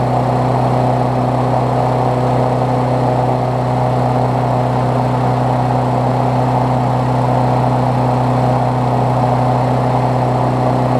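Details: Briggs Classic single-cylinder swapped onto a Bolens push mower deck, run after fresh gas and 16 oz oil, temporary throttle: smooth, even buzz at steady speed, no surging or misses; running healthy.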